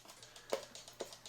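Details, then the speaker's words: E. Schmeckenbecher cuckoo clock with weights marked 275 hanging, before bellows adjustment (cuckoo call faulty): light, evenly spaced ticks about twice a second in a quiet room; movement ticking steadily. "so this clock does tick I have the weights hanging on it these weights are marked 275."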